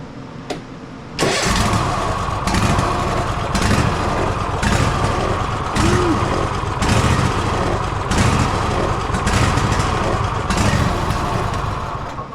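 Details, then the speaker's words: Gravely ZTX 42-inch zero-turn mower at 160 hours, before service: engine cranks, catches and settles into an uneven, lumpy, stumbling idle, running rough; air filter found very dirty, plugs, oil and filters to be replaced. "This thing is running roughage terribly running terribly terribly"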